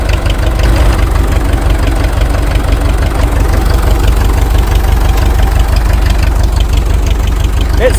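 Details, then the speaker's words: International TD-6 crawler started in gas mode after the cylinder #4 misfire fix, said to run only about 1,200 RPM on gas: it started right up and gives a loud, fairly even low chug of about three beats a second, no misses. Normal running. "Okay, we're going to try to start it in gas mode. Probably should have done this to begin with, but That was easy."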